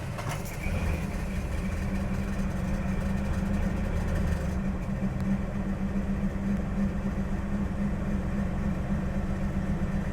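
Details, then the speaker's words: 1969 Dodge Dart running again after fixing weak spark from a grounding points clip; alternator still to be replaced: steady even idle with no misses, fairly smooth, carburetor still needs adjusting. "The idle is pretty smooth, but just a little bit more, I think it would run great."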